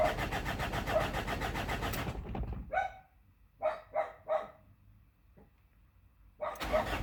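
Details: Mazda BT-50 3.0 with no codes and low fuel pressure: starter cranks rapidly about two seconds, then a few short cranking bursts, never fires; crank no-start from a failed fuel pump.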